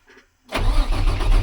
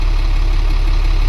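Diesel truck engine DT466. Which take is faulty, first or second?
first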